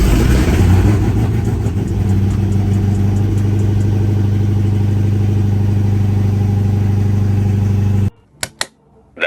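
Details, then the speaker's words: Dodge Hellcat supercharged V8 just after the repaired supercharger was reinstalled: engine fires and holds a strong, even rumble through the revs with no whine, knock or rattle, then shuts off; sounds healthy, no issues. "Supercharger is back. Sounding great. Sounds real good. Ain't got no complaints over here, boy."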